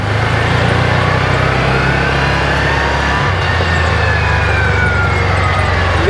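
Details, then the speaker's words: 2021 Axis 500 4x4 UTV, about 225 miles, after replacing clutch one-way bearing (housing off): slow coast at 5 mph with steady low rumble, earlier deceleration grinding gone; driveline healthy. "sounds fantastic no more sound no more noise you can't see down in there but I don't have the clutch housing on so we're just coting at 5 mph sounds really good so it must have been the oneway bearing going south on this thing"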